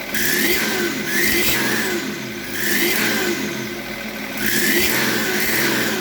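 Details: BMW E38 with M57 3.0 diesel after fitting a rebuilt turbo: high whistle climbing and falling with each rev, tracking boost; same as old turbo, stops when the variable geometry control valve connector is unplugged; cause not pinned down.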